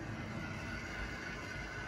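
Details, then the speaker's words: Late-1960s Tri-ang Hornby R.356S Winston Churchill loco with X04 motor, after maintenance, hauling heavy tinplate coaches on Super 4 track: soft, steady whirr with slight gear hum, no catching or grinding; running normally. "and listen to it what a great great noise from this loco not too echoey a little bit of gear noise more power this is only going to get better as it runs in after its maintenance"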